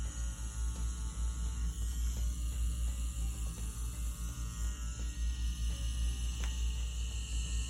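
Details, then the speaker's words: Ambition Ninja wireless rotary pen tattoo machine running at 7.5 volts: a steady, low motor buzz with even pitch and level, smooth and consistent with minimal vibration. "So as you can hear though, it sounds smooth, consistent, and again, the vibration is low, minimal vibration."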